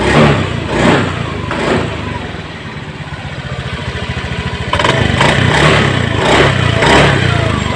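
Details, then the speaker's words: Honda Beat Eco injected single-cylinder scooter after fixing the TPS sensor wire chafed by the air filter box; idling, then blipped several times, picking up crisply and settling cleanly with no stumble: normal throttle response. "Alhamdulillah untuk hasilnya sudah normal kita tes tes"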